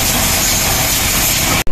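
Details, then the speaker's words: Honda Wave 110 / XRM motorcycle idling after replacing the cam chain tensioner and its spring: steady low putter, now quiet with the previous rattle and ticking gone. "Tingan natin yung tunog Ayun guys na ibalik na natin So ganyan na siya katahimik nawala na yung yun guys okay"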